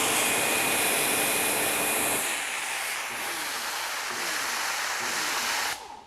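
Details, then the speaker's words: WEN 2000 psi, 1.6 gpm electric pressure washer reaching about 1800 psi at 14.5 amps: steady high hiss sags, then cuts out abruptly under load; owner suspects the motor isn't designed for such a small tip. "so i'm getting just about 1800 psi but this motor apparently is not designed for this small of a tip that's why it's tripping up"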